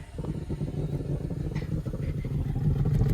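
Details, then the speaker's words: VT Commodore V6 at first start-up: deep uneven loping rumble, strained, dies when revved; owner suspects mufflers or exhaust blocked, not confirmed. "Now it's having a hard time. I'm going to assume the mufflers or the exhaust is blocked with something"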